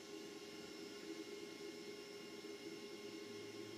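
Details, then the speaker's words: Humax Freesat box through a Triax Tri-Link RF modulator: steady hiss with thin whistling buzz, unchanging; Freesat box outputs high-frequency noise the Triax modulates, absent on a Maximum RF-3000 modulator. "You get all this interference. You don't get it on the Maximum but you do get it on the Triax."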